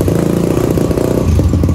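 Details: Supra X Daytona single with a new Yuasa battery after sitting long with stale fuel and a dead battery; carburetor found clean. Ticks over with a quick, even exhaust pulse and no misses, knocks or rattles; idles cleanly.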